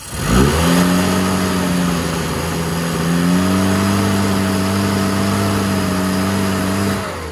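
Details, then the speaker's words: Mini 998 running before tune-up, plugs gapped too wide: engine catches and climbs briefly, then hangs at one flat drone and never picks up; retarded ignition timing and a lean carburettor. "just a quick opportunity while this is running actually uh just to get a quick sound of a flat engine"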